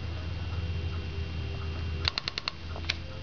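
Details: Audi UrS4 OBD I output test cycling the five injectors one at a time: over faint fan hum, a burst of about five crisp even clicks then a few scattered; injector firing normally on test.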